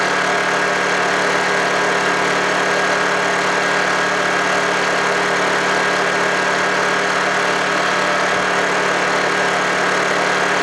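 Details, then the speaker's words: Honda generator, cold start after sitting about three months: a steady, even drone with no knocks, misses or surging, running normally. "there we go watch running so far there we go number one complete"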